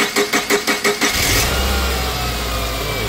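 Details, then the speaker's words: 2008 Subaru Outback 2.5 L petrol, cam and crank sensors already replaced: steady starter chugging about three per second for a second, then engine catches; long crank with no spark at first. "basically this car uh is most of the time it's a crank nose start for a few seconds and then it eventually starts and he said there's no spark for that first few seconds"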